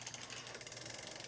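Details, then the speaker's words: Old Cannondale bike after shortening the chain and adjusting the front derailleur, cross-chained, crank turning backwards: rapid light ticking and scraping as the chain rubs the front derailleur; acceptable in this gear. "reason I'm ok with this is because the chain is crossed in other words it's on its deepest in there and furthest out up here and so it's not a good position to ride your bike in anyway you can do it as you can see it's turning it spins backwards no problem it just makes a little noise"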